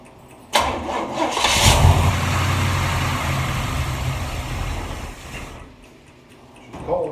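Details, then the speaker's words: 1947 Ford street rod V8, first start on a cold, windy day after reinstalling the intake manifold and distributor, with temporary, unfinished adjustments; it catches almost instantly and settles into a steady, rumbling idle before shutting down. A clean, healthy start. "okay always feels good when you put it back together and it takes it right off with no problems"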